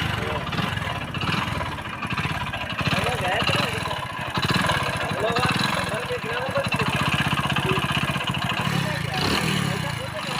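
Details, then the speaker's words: Motorcycle idling, no smoke from silencer and pickup fine: loud rough clatter over the exhaust beat; worn connecting-rod big-end bearing with crank play. "तो दोस्तों जैसे कि आप देख सकते हो बाइक के इंजन से जो है बहुत सारा आवाज आ रहा है"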